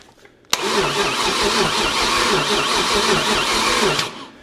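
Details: 1969 Chevy 327 V8 with new ignition points fitted and the coil live: steady rhythmic cranking for about 3.5 seconds that never fires, then stops. There is still no spark, and a bad coil is suspected.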